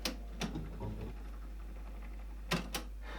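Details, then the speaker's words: Used cassette deck on tape 1 input of a Marantz PM-30 amplifier, switched to reverse after stopping unexpectedly on fast forward: a few sharp irregular clicks and clunks as the transport engages; tape mechanism misbehaving, tape possibly at fault. "Ooh. I hope that's the tape. Reverse. Weird noises. Okay."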